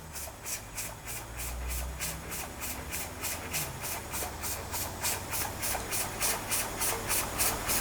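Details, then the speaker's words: Weeden 44 model steam engine, boiler heated and steam pressure up but running at its top speed: soft regular chuffs about three a second with hissing steam; only just running, weak, owner unsure if low steam pressure is to blame. "Well, we've got steam pressure, but it doesn't seem to be doing very much. And that seems to be about as fast as I can get it to run."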